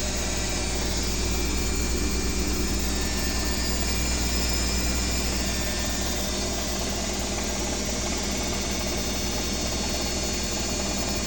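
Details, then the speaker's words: Owner's BWS24 washing machine on a 4-minute spin: a steady motor hum with a thin high whine and no knocking or banging. An even, healthy spin cycle, unlike the neighbour's noisy Midea HealthGuard. "Coloquei 4 minutos, né, pra centrifugar. Assim que passar pra 3, ela já vai começar a subir."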